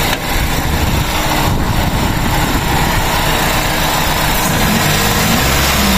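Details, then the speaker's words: 2001 Toyota Altis 1.8G after an oil change with the oil pan pulled and the strainer cleaned, fresh pan gasket so revs kept gentle: smooth, even idle with a clean rev and no knocking or ticking; the earlier noise, even when warm, is gone. "Check natin kung okay yung pinagawa natin ng makina. So ayan, napakatahimik mga kadeway,"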